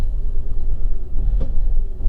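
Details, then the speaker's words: Engine with sensor errors idling rough after codes cleared: deep, lumpy rumble with uneven pulse and an odd thump; still shaking badly. "no fault cut no it's still shaking a lot of good and"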